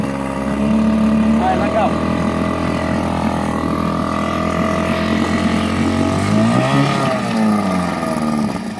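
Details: 1964 Mercury Merc 60 6HP two-cylinder two-stroke outboard, first start in about 2 years, choked: buzzes steadily with a brief rev rise and fall, firing evenly on both cylinders; running fine after storage.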